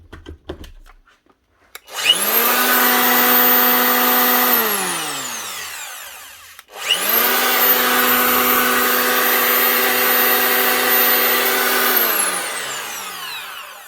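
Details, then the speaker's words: Old Festool planer, at least 20 years old, after reassembly: clean whine winds up to a steady pitch and coasts down smoothly, twice, with no rubbing or rattle. The shifted fan caused the earlier rubbing; three worn bearings were also replaced. "Nice one. It's a lot quieter. The fan was the main thing causing all the sound, or causing the rubbing."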